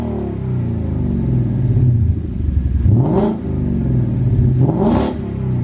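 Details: Wrecked and rebuilt 2015 Ford Mustang GT V8, cold start just after installing a new aftermarket exhaust. A deep, throaty burble rises in two clean revs and settles back each time; it sounds healthy, a normal cold start.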